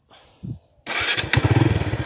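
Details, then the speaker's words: Kawasaki Barako 2 (175) motorcycle engine, very noisy before; after repair with a Barako 1 connecting rod, two new crankshaft bearings and a rebored scored cylinder block; quick crank, catches and settles into a smooth, even single-cylinder thump with no knock; normal start and idle. "oh napaka smooth Okay so yan yung andar niya ngayon at Syempre kung yung andar niya ngayon is smooth na"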